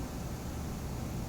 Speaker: first of all the bluetooth makes like a hissing sound right when you have bluetooth on but it's not connected to anything or you're not playing any music it makes this hissing